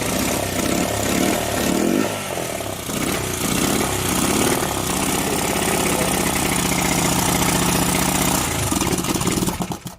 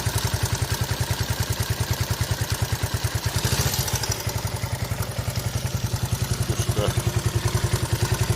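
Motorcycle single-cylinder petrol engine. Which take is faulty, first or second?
first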